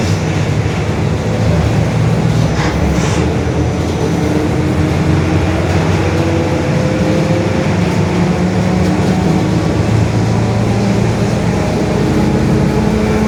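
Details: Marcopolo Torino S 2018 body on 2021 Mercedes-Benz OF-1721 BlueTec 5 diesel city bus, recorded inside while under way: a steady low growl and hum over road and engine noise, from a growling, worn differential.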